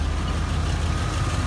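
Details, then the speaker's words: 1992 Ford F150 after installing a new Spectra fuel pump, running for the first time in a while: steady low rumble at an even idle with no misses, knocks or ticks; engine idles normally. "This is the first time it's been running in a while. It's the first time it's been running in a while."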